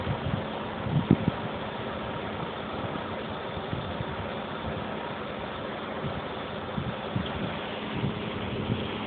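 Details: 1995 BMW 750iA, M73 V12, 170,000 km, cold start: steady, slightly uneven low idle with faint metallic tapping from the lower passenger-side engine bay; seller suggested a possible exhaust manifold hole, source unconfirmed.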